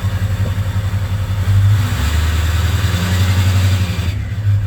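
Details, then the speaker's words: 2003 Ford 6.0 Powerstroke V8 diesel idling at 70° oil temperature with FICM around 44–48 V and no codes or check engine light: deep, uneven, loping rumble. Misfire; weak FICM suspected, not confirmed. "it's misfiring for sure so I've got 44 on my thicken I know my ficum is getting really weak so I'm probably just going to replace it and see if it goes away but it's definitely misfiring but it doesn't trigger a check engine light there's no codes"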